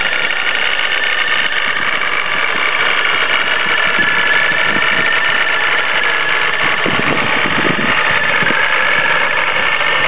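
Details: Nissan 350Z with Vortech supercharger at idle: a loud, dense, unbroken metallic rattle, like the car is falling apart; something on the supercharger setup is suspected loose or worn.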